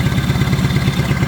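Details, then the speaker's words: 1970 Honda 600 (N600) sedan engine restarted with fuel lines off the exhaust, rebuilt clean carburetor but old points, condenser and wires: steady even putter idling about 1,200 rpm or a bit more, no knocks or misses; normal idle. "That went pretty good right there. Probably about 1,200. Maybe a little bit more. And it's okay though."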